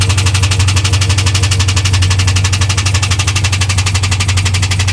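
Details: 2001 WS6 LS1 5.7L V8 idling with a sharp, fast tick about four times a second; it first ticked only at high rpm, then oil pressure dropped from about 30 to 0 and the engine was found empty of oil and refilled.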